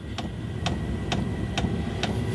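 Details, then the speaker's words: Chinese 5 kW diesel parking air heater in a motorhome just after ignition, fan increasing: sharp regular ticks about twice a second over a low fan rumble, pump pulse rate rising to feed more fuel to the burner; normal dosing pump clicking. "The pulse rate of the pump is increasing, putting more fuel into the burner."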